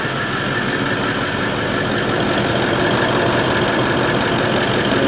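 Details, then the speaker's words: Toyota 79 Series LandCruiser diesel idling just after first start following replacement of the failed turbo: even, steady clatter with no knocks, surges or whistles; normal idle. "He runs. She runs. I'm going to bleed the coolant. Let it run. That's all right. Let it run. Let it run."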